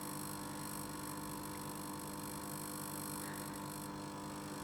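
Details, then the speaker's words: Tube guitar amp that breaks up at higher volume: steady low mains hum with a buzzy edge coming from the main power transformer side; suspected transformer not bolted tightly to the chassis. "I can hear that that buzzing is coming from this side of the app so it's over the main strands formula which is the big one behind me"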